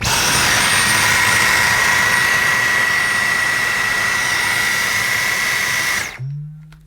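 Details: Dyson Micro cordless vacuum, brand new, with the mini motorized tool fitted (brush driven by its own motor): steady high-pitched motor whine with even airflow rush, then a clean wind-down at switch-off; vacuum and brush motor run normally.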